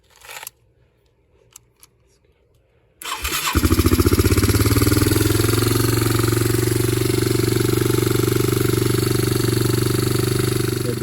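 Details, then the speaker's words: Yamaha Moto 4 (225/250) ATV single, rebuilt from zero compression with a bent valve, started completely cold on starter fluid before valve adjustment: busy cold idle with a light tick over the firing, likely loose valve clearance. Valve tapping on cold start. "Starts up. Okay, so it's completely cold, just turned it on."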